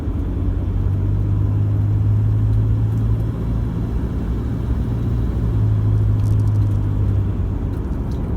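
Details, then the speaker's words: 2014 Toyota Hilux 1KD-FTV diesel, 111k, after injector replacement, driven cold at light throttle through 1500-2000 rpm: smooth even low rumble, no knocks or marble-like rattle as before; clean normal combustion under load. "when i just nicely drive it cold and get back onto the gas with about 1750 revs through that range from 1500 up to 2000 the combustion is clean and normal where before it was just terrible and terrible"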